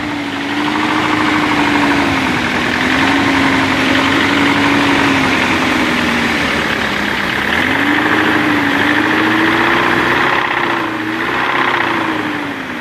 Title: Мотор стучит бмв 318.е36